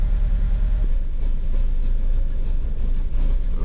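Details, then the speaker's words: 2009 Ford Fusion 2.3L with MAP code P0106 and P2195: a rough, stumbling idle near stalling and very smelly exhaust, though it runs at higher RPM. The misfire comes from a vacuum leak at the faulty intake manifold. "exhaust is very stinky so it'll run or come out of it at higher RPM that it don't idle"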